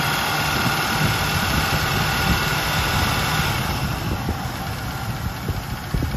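Steady V8 idle with a light, fairly quick tapping riding on top at about two per second; a top-end tick of unknown cause.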